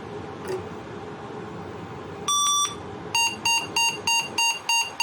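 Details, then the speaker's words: 386 DX/40 motherboard with suspected corrosion or bad solder joint, boots only when the board is flexed: one long beep then seven short high beeps, memory counting and repeated rebooting; intermittent boot, cause unconfirmed. "power on and now it's counting the memory and it keeps rebooting apparently because i can hear it's counting and counting"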